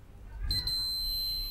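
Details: Dead old external USB hard drive after a house power surge. The meter gives a sharp continuous beep the moment the probes touch the TVS/zener-type protection diode on the board input. Shorted protection diode.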